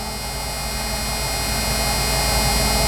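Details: 1991 Ford F150 idling after front 19-gallon fuel tank swap with clean tank, new fuel pump and filter: steady even hum at constant pitch, no misses, knocks or hunting; normal healthy idle.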